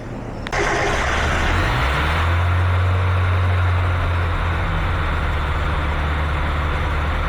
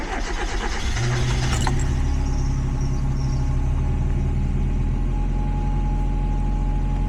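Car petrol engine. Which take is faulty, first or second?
first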